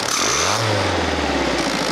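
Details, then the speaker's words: Fiat Panda 4x4 Sisley converted from carburettor to throttle-body fuel injection: engine blipped, then revs fall smoothly with no fuel injected on the overrun until fuel returns below a certain rpm; normal automatic overrun fuel cut-off. "it comes back in when it goes below a certain rpm there you go that my friends is auto fuel cut-off and that saves you a serious amount of money especially on a car like this"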